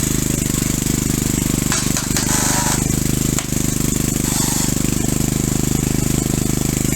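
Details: Single-cylinder engine driving a hydrostatic unit through a flywheel drive shaft, rebuilt with new 0.030in oversize rings and a light hone, running under load: hard-working beat with a rapid, somewhat uneven knock on every stroke, piston slap as expected.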